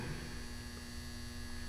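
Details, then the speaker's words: Barn-find frequency counter being powered up and tested: loud, steady low mains buzz from the power supply, like a fluorescent light. The unit still works. "Plus the power supply literally buzzes like a fluorescent light."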